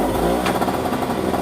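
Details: Craftsman 5 hp single-stage 21 in snowblower that started then shut off, test-fired cold on full choke after primer pushed five or six times and cleanup; catches and runs with quick even buzzing beat, holding speed; normal running.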